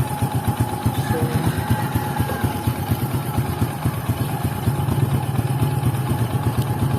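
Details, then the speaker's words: Honda XRM110 idling right after timing chain replacement with timing marks aligned; old chain was badly worn; small single now ticks over at a steady, even idle, no chain rattle or knocking, the earlier noise gone; normal idle. "So, yan, napakaganda na po ng tunog niya. Wala nang ingay dahil nung kanina."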